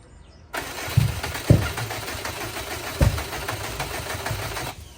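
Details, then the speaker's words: Subaru Impreza (bugeye) with custom tune swapped back to an off-the-shelf Cobb base map: starter cranks steadily about four seconds with a few uneven firing puffs but never catches; getting closer; coil packs possibly plugged in wrong firing order, suspected. "It's getting closer. That was a lot closer than before. So one possibility is you're firing in the wrong order. So it could be that your coil packs are plugged in backwards."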